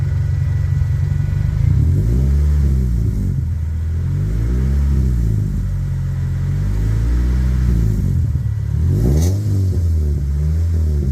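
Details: 1998 Toyota Celica GT ST202 after exhaust leak clamp repair: revs rise and fall smoothly with a clean deep exhaust note, no puffing or ticking at the joint; exhaust sealed.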